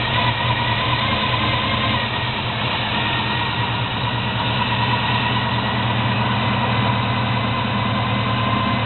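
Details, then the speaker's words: 1972 Chevy Monte Carlo small-block 350 V8, first start just after FiTech Go EFI installation, old loud starter still fitted, engine cold: steady even idle sitting a little fast, no misfire; high cold idle. "I in a little high but the engine still cold this is the first start the engine is still cold here it coming"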